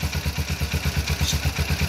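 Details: Single-cylinder motorcycle that wouldn't start, fixed by replacing the battery fuse; even thump about seven beats a second, no stumbling, keeps idling on stator charging power with a battery fuse wire disconnected.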